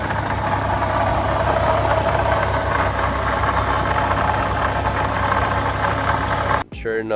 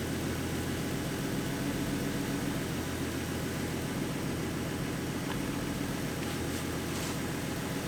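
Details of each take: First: 2014 Ford Mustang 3.7 V6 (S197), about 170,000 miles, idling with a light rough knock and faint grinding from the front pulley area; original water pump failing, a known S197 issue, replaced with the new-design pump. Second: 2014 Ford Mustang 3.7 V6 after replacing the water pump with the new-version design: a quiet, even idle with a smooth low hum and no grinding or knocking; the earlier knocking and grinding noise is gone and it sounds healthy.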